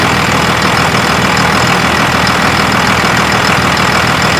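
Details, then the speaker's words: 2001 Dodge Ram Cummins 24-valve diesel with VP44 pump idling after RTV rubbed on the serpentine belt at the alternator: loud steady idle, even clatter, belt squeak gone. "Okay, go ahead. Let's listen. There's no more squeak."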